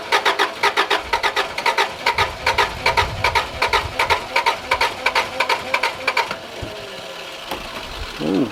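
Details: Subaru RS Liberty AWD turbo manual, parked 10 years, with fuel fed into the throttle body to test for spark. Steady starter cranking at about two and a half beats per second, never catching: cranks but won't start.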